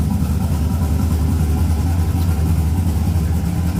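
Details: 6.0 LS-swapped S10 with a freshly installed turbo, no exhaust fitted and crankcase breathers not yet connected. It gives a loud, uneven, lumpy deep rumble at idle; the engine still needs tuning. Untuned turbo engine running rough.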